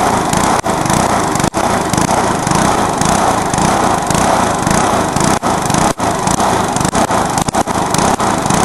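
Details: Briggs lawnmower engine deliberately run to destruction, with nitro added, after a backfire: screams flat out at a high harsh pitch with brief sudden cut-outs; over-revved hard toward failure.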